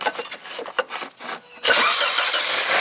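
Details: 2004 Nissan Maxima V6 6-speed manual towed in for stalling, power loss and no-crank, battery at 7.6 V put on charger, starter suspected bad: brief uneven cranking then catches in about 1.5 s and runs steadily; normal start.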